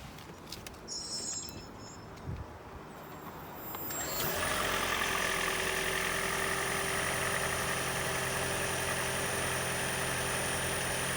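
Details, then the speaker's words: 2012 Toyota Prius after intake manifold and EGR cleaning plus coil replacement for P0301 cylinder 1 misfire and knocking; first cold morning start settles to steady, even idle with no knocking and no check engine light. "this will be the first cold start in the morning that usually starts the knocking so you know this would be the true test right here so let's see if it worked no check engine light that's good"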